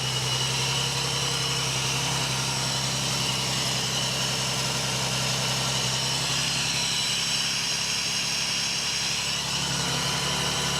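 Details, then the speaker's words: 1979 BMW E12 520 barn find, gravity-fed fuel from the ceiling: smooth, steady idle with an even low hum, no misses or knocks, some smoke or condensation. Normal idle. "running [Music] [Applause] oh this sounds so sweet"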